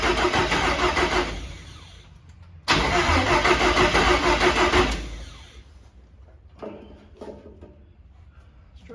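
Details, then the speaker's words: Carbureted cab-over van conversion engine: a suspected timing issue, so the distributor was pulled and flipped 180 degrees. It cranks and catches in short loud bursts, with a "kaboom" backfire, then dies away. It sounds better but is still backfiring and struggling to start. "see what happens there goes Kaboom [Music] again that sounds better let me crank the autle up on that thing still a little back"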